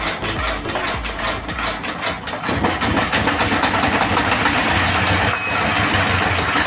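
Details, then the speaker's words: S1115 single-cylinder diesel, bought second-hand and not starting, after servicing: a steady, even chug at about two and a half beats per second with no misses or knocks. The oil indicator rises well, the engine runs normally and is fit for use. "Oke sobat diesel setelah kita coba hidupkan dan kita dengar tadi hasilnya sepertinya tidak ada kendala lagi ya pada mesin diesel ini dan mesin dieselnya ini Sudah layak untuk digunakan"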